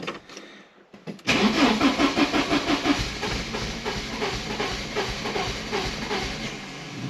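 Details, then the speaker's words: 1985.5 Porsche 944 non-turbo, long parked, after replacing both crank reference sensors; the tach bounces, showing a reference signal. After a second of silence it cranks at about three beats a second with a few weak pops that never catch: the engine is flooded. "Well, the good news in all that is that we did get some pops. We got some firing. So she's trying."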